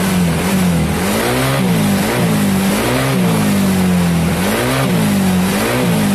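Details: Soul GT scooter bored up to 150 cc with Sonic piston, enlarged head ports, BRT racing camshaft, valves adjusted, first start after build: blips up and settles back several times, crisp and even, no knocks or rattles; normal revving.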